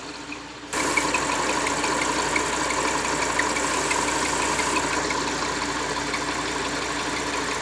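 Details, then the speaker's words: Audi R8 V10 at steady idle, heard from underneath: quick dry metallic rub about four times a second, sounding like a seized engine; grease sprayed on crank seal retainer to test; belt, tensioner, damper pulley or retainer suspected, not confirmed. "자, 지금 R8에서 소리가 나고 있어요. 다시 한번 밑에서 한번 들어보자. 이게 지금 진짜 어떻게 보면은 엔진이 소착된 소리처럼 나는데, 크랭크 리데나 쪽으로 우리가 구리스를 뿌려서 리테이너 쪽에서 나는지 한번 확인해 볼 거예요."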